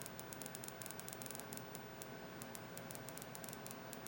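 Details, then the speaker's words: HP 2509m LCD monitor powered up: faint irregular cricket-like crackling ticks over low hiss from a CCFL backlight tube arcing at a poor insulator. "It's exactly the same thing that happened to the other one making that noise. Apparently, they got a really piss poor insulator right there or something."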